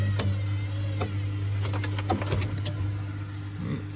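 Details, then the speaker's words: Baumatic BDI1485D4E 8 kg washer-dryer draining after the rinse: steady low pump hum with scattered irregular knocks from the drum; owner wonders whether the heating element in the bottom is bent up and knocking depending on load, cause undetermined. "5 minutes later it's draining out that rinse there is a knock I wonder is it"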